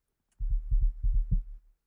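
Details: Infiniti QX60 with ignition on and the power liftgate not working: a low thumping throb pulses about five times a second through the speakers; owner suspects a short from condensation under the trunk trim, liftgate struts fine.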